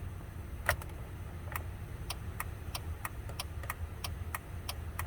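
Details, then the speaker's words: 2000 Chevy Impala with no turn signals, a possibly bad battery and an alarm system, idling: light, uneven ticks about two to three per second. The mechanic strongly suspects the hazard switch with its built-in flasher, which works intermittently, and plans to replace it first. "I'd be willing to bet this problem is the hazard switch. Absolutely willing to bet."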